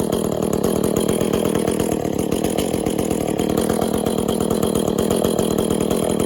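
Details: Echo CS400 chainsaw after OEM oil pump replacement and a carburetor tune to fix bogginess (limiters still in, could use more): steady fast clean two-stroke run with no bogging or surging; oiling well.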